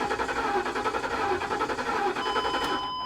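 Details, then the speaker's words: Flood-damaged 2021 Kia K5 Turbo at salvage auction: starter cranks steadily about five pulses a second with no catch; fuel problem suspected, possibly spark. "it's trying to start you can hear it [Music] you can hear like it's it's it's it's trying i would almost almost bet we're gonna be looking at a fuel problem"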